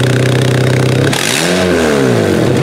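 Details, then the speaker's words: Older Honda CR-V that won't exceed 35 mph with VSA and red brake lights on, front O2 sensor removed to test for clogged exhaust: revving with loud raspy chuff and debris from the open port; inconclusive for restriction. "Oh man, blowing all kinds of junk out of there. Oh, you know what? The reason that we have a lower amount of pressure there is simply because we've got a big opening in the front hole, so it still doesn't really prove anything."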